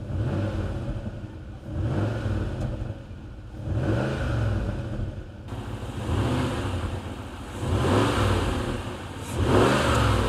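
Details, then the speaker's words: Jaguar XK8 V8, blipped: ticking, puffing crackle from an exhaust manifold leak at the front, which the auction sheet had called a misfire; no engine management light; fix likely engine-out. "it's misfire it's not it's that exhaust blow you can hear it like popping and crackling at the front"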